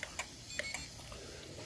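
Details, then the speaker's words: Riaario 45A ESC gives short high warning chirps with no motor sound; the wheels don't move and there's no acceleration. The owner suspects the control isn't connected, though the three wires checked in correctly. "So it seemed like something with the control need to connect, because I hear that kind of noise saying that it's not connected."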